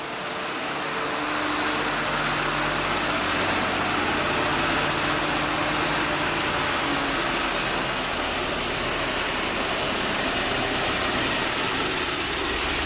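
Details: 1948 Ford F-5 truck, cold start after sitting unrun for over a year, on choke with the throttle pumped by hand: it catches and keeps running with an even, steady idle and no misses or knocks; the engine is running fine.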